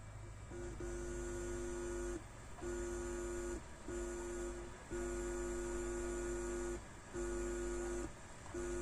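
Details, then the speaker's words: Onkyo TX-SR313 AV receiver with no-sound fault, volume at maximum and speakers connected: fingers touching the front left and right amp input pins give a steady low buzzing hum in bursts, showing the amplifier board passes signal normally. "ஸ்பீக்கர்ல sound வரும் பாருங்க note பண்ணீங்களா ஒரு sound வருது அது அந்த sound வரணும் அப்படி வந்துச்சுன்னா ப்ராப்ளம் இல்லை"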